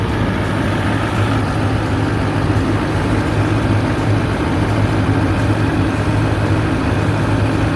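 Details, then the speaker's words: 2008 GMC Sierra 3500HD, 6.6L Duramax with Allison auto, 127,223 miles, parked since about 2021–22, new batteries, check engine light on: even, steady diesel clatter at idle with no knocks or surging; no smoke; normal idle. "It starts right up. You can hear it run. You can see back here. I don't know where the exhaust is, but it's not smoking."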